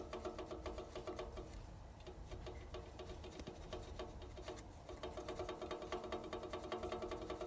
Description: 試しにバランスシャフトを取り外した状態でエンジン始動すると症状が消えた。